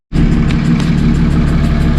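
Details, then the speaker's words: Car after autocross track day, intake checked: steady idle with a fast, even, hissing tick about six per second, a metallic suction noise that persists; cause unknown, owner suspects the tune. "so as you can hear it's not going away um i have no idea what else it could be"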